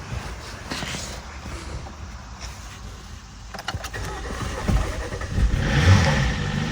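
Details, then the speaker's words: 2018 Jeep Compass Latitude, light-damage rebuild, first start: starter cranks several seconds without firing, then the engine catches and revs once throttle is given; hard start, cause unknown. "interesting it does not want to fire it just turns over a bunch of times"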